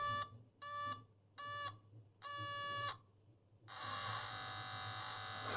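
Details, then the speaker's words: Homebrew 1979 dual 0-30V 0-1A linear power supply with an audible current-limit alarm, output near 1 A: buzzy beeps pulse on and off about once a second, then turn continuous as it hits current limit. "how funny so there's no hisis or anything here this is more or less just going on and off wow but it works"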